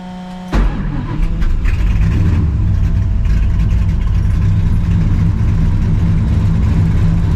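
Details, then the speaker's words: Clutch-pedal assembly rattle on a 2V SN95 New Edge Mustang GT (600HP), engine starting: loose, uneven metallic chatter as a broken clutch-pedal piece bangs its neighbour; electrical tape added to stop contact, only slightly quieter. "I put a couple layers of electrical tape to prevent it from banging hopefully it works all right"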